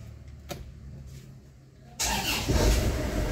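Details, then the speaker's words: Isuzu Crosswind diesel that had low power, smoke and no pull; after removing a rag blocking the turbo intake, it cranks, catches and settles into a firm, even idle with no stumble; smoke reduced. "Uy, wow, ganda na ng tunog. Check natin kung mausok. So yun, medyo nabawasan yung usok niya."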